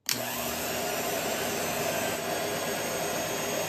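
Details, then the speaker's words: Treadmill motor on mill-lathe combo, electric brake disconnected, spindle spun up to about 1,000 RPM: quick spin-up to an even whirring hum, steady with no knocks or grinding; spindle running normally. "let me first show you it's set up with the brake disconnected and just the normal action of the spindle when you go to stop it so we'll go ahead and we'll turn it on"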